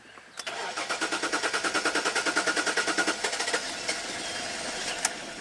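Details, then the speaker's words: 2005 Jaguar S-Type V6, first start after installing a new fuel pump and adding ethanol-free fuel, coolant still low: the starter cranks in even pulses, the engine catches after about three seconds and settles into a smooth steady idle with the pump running; normal start and idle. "yay there we go pretty smooth you hear the pump running sweet"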